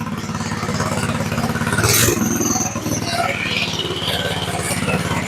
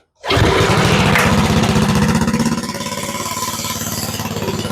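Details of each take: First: Go-kart single-cylinder engine just started after sitting and a carburetor clean, idling a little high at a brisk, fairly even buzz; idle was then turned down a touch. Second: Go-kart with Briggs & Stratton Quantum engine after carburetor cleaning, started with a little choke: catches immediately, revs briefly, settles into even single-cylinder putter; runs smooth and steady, idle slightly high, then turned down.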